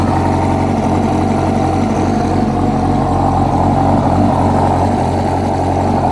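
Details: 2006 Yamaha R1 inline-four at steady idle, with a faint irregular knock about four times a second; a new updated cam chain tensioner made no difference, and the noise was found to be the #4 rod bearing.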